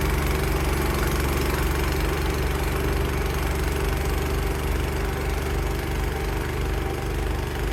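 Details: Cub Cadet 524 snowblower after repair for rough running, started on choke with primer in freezing weather. A steady, even small-engine drone holds constant speed while throwing snow, with no surging or stumbling; it runs normally.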